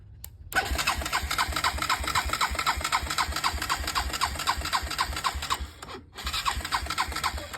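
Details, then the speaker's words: Honda 400EX ATV barn find cranked with the spark plug installed, a borrowed starter solenoid, and no fuel hooked up: even, strong cranking pulses about four per second with a firm compression stroke each turn; good compression, only needs fuel; normal cranking. "as you can tell, sounds like it got really good compression, and it sounds like she wants to fire up, which I don't have none of the gas hooked up or anything else."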